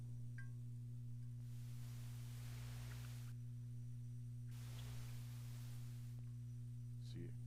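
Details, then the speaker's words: Amplifier hum on an F2B amp: low, steady mains buzz that persists with the channel volume turned down, faint hiss swelling over it; owner unsure whether a power-supply capacitor is the cause, unconfirmed. "I didn't use Channel B so it does the same thing though because you can hear the hum right now when the when the channel volume is down"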